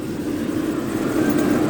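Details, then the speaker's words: Jaguar with intermittent no-start, owner suspects fuel pressure regulator stuck open or closed; started on cold morning, steady even engine hum with no misses, knocks or stumbles; normal running. "But as it turns out, I don't need it. The devil's gone and started. Let's try again."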